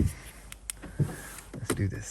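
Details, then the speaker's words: Mercedes CLS63 AMG V8, non-runner with no crank; just after a new starter motor was fitted, turning the key gives a few sharp clicks with no cranking, so the starter is activating but the engine won't turn over; battery and a manual crank check considered next. "so unfortunately it seems like the car is not starting up still but as you can see you can hear the clicking sound so the stter mot is definitely activating at the moment"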